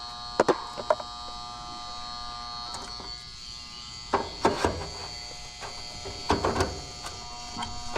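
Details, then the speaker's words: Residential AC condenser on a no-cooling call: new 40 amp Titan Max contactor with lugs, its coil energized by low-voltage wires while the high-voltage side is disconnected, vibrating with a faint steady buzz under handling clicks; normal contactor coil hum. "Now, some of y'all are going to be wondering why that's huming when there's no electricity hooked to it. There is. These wires right here have low voltage and they are energized."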